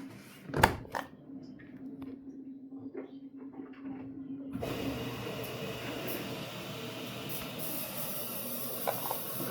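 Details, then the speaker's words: Samsung AddWash washer at cycle start after door locks and initial drain: faint hum, then a steady rushing hiss as water pours into the drum; normal water fill. "I don't know if this is going to be good, guys. I don't know. Here comes the water, which does work."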